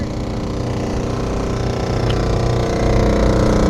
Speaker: It's got to be that unit making the noise.